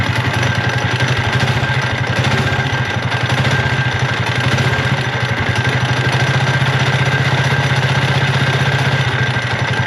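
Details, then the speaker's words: Mini bike small engine with stage 1.5 kit and torque converter: rough, clattering idle with about four uneven knocks a second and a harsh metallic edge; crankshaft found snapped in half, later replaced by a Honda engine swap. "But the other day when we did our other minibike video with my buddy Dylan's $50 minibike, this thing started making a god-awful noise."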